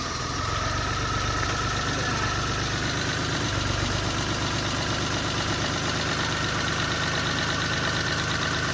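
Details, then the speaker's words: 1991 Chevy Sprint after an in-car engine rebuild (new rings, hone, valve seals, gaskets) and the coil reconnected: it settles into a steady, even idle with no knock or misfire, sounding much healthier. "let me hook your coil back up oh yeah here we go it sounds way healthier crank it over okay"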